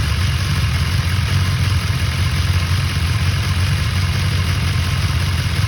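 Steady inline-four idle with a light, continuous metallic rattle riding over the exhaust; suspect the top end, possibly the cam chain.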